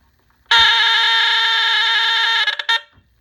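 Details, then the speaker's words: Ultra rare BRK 769 AC/DC smoke detector, removed from an old house, plugged in and tested: one loud, steady, shrill buzzing tone about two seconds then cut off; alarm horn sounds strong and healthy, better than before. "As you can tell, it sounds much better now."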